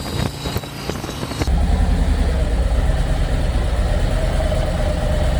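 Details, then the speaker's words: 2024 Harley-Davidson Road Glide after repairing the coil harness that caused limp mode on one cylinder: deep, steady lopey V-twin idle with no misses or stumbles; power restored and running well, though the check engine light remains on. "The bike does have its power back. She's running like a champ."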